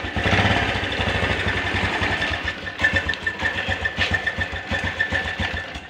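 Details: Honda Blade motorcycle that sometimes dies suddenly and sounds rough; rough, uneven lumpy idle with dry mechanical rattle and faint whine, stumbling pulses. Oil found missing from skipped oil changes, engine badly damaged inside by oil starvation.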